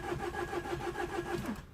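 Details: Citroën DS3 1.6 VVT petrol (5FS) that cranks but won't start after head work, tested cold (coolant around 12°C) with RPM showing on live data; steady starter whirr at about six to seven compression beats a second with no firing, then it stops: crank, no start.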